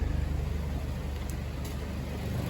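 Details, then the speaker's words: 2014-2019 Jeep Cherokee 2.4L MultiAir with a junkyard replacement engine (the original had a cracked cylinder), at operating temperature after initial smoke cleared: smooth low rumble at steady idle, no knocks, misses or ticking. Normal idle. "all the levels are good and it's running nice"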